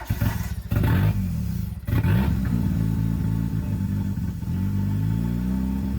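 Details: CA18DET-swapped JDM Mazda Miata: engine hunts and stumbles, revs rising and sagging unevenly, briefly nearly dying, struggling to hold steady idle; rough idle.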